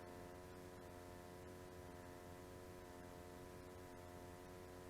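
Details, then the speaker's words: 30-year-old Carver Cascade 2 caravan water heater, flue plate off, running briefly without water during flue gas analysis: steady even burner roar with low hum, no popping; burning clean, passed. "And that's burning really nice and clean. That's looking really good."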